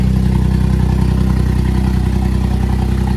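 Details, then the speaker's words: Suzuki Cappuccino 660 cc three-cylinder turbo, first start after N2 kit install (Suzuki Sport N2 ECU, RHB31 turbo, new injectors): loud, raspy idle with even, regular pulse, no stumbles, all three cylinders firing, no oil leaks; normal idle. "everything's good no oil is exploding anywhere [Applause] sounds like all three cylinders are firing like they should be"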